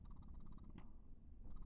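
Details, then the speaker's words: Spectra S2 breast pump just powered on: quiet, rapid, evenly spaced motor ticking that pauses briefly and resumes in the same rhythm, membrane moving; normal pump running, showing it is hooked up correctly. "So obviously once you plug it in, you will be able to hit the power button and you can hear it and you can see that membrane moving."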